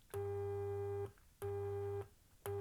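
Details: Sony XPLOD car audio amplifier bought as faulty, test tone button into two small speakers: clean, steady tone in about one-second pulses, no hum or distortion; amplifier output healthy.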